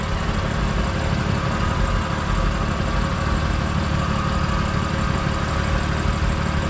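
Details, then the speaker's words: 2020 BMW F82 M4 after the camshaft bolt knocking repair: a steady, even idle with only a light, fast fuel injector tick on top. The earlier rattle is gone. "No more rattling. It's just that sound from the fuel injectors."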